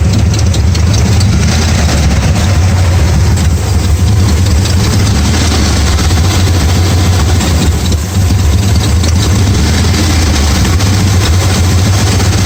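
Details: 1994 Dodge Ram 5.9L V8 with codes 37 and 51, rough idle and backfiring: lumpy, unsettled idle with a brief stumble. Cause was a failing crankshaft position sensor; replacing it restored normal running.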